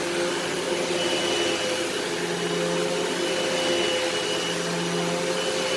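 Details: Eureka SmartVac 4870 upright vacuum rebuilt from two broken machines, running on high-carpet setting: steady, even motor whir at one pitch, no grinding, rattling or surging; normal running, though the belt later seems to slip slightly.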